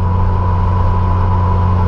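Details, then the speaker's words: 1996 VW Gol turbo in fourth gear at the speed limit. A steady mid-pitched whine rides over the engine drone only on throttle and is silent off throttle. The gearbox had earlier leaked about 0.5–1 L of oil; a gearbox problem is suspected, unconfirmed. "o câmera não faz barulho quando eu tiro o pé mas se eu acelerar tá parecendo o câmbio forjado isso é ruim para caramba mano"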